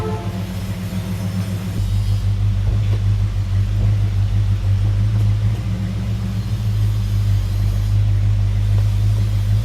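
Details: Dodge Super Bee with a rebuilt 383 V8, no air cleaner yet, cold: a deep, steady idle with an even pulse and no tapping or knocking. Oil pressure is about 35–40 psi; it is running well.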